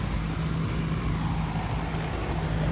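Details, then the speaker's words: Goodman central AC with a no-cooling fault: the outdoor fan drones steadily with no compressor hum underneath. A 30+5 capacitor was checked, and a failed run capacitor is suspected. "i hear the fan and no compressor scenario going on here so let's see if we get lucky today"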